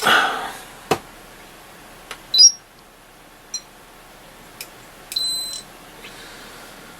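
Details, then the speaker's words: Dynatron Tourist radio under restoration, testing capacitors with an ESR meter in circuit: quiet bench, probe clicks, then a short high beep pattern flagging the capacitor as in circuit or leaky, probably just in circuit. ESR meter in-circuit or leaky warning. "oh honey I saw it says it's in circuit or leaky one of the two typical really it probably is just because it's in circuit"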